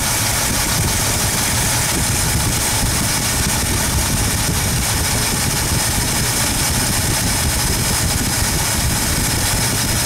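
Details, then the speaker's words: 1972 Ford 302 small-block V8 idling during running hydraulic-lifter valve adjustment: even low rumble with no ticking from the top end after backing off and tightening the rocker; quiet valvetrain. "That sounds quiet."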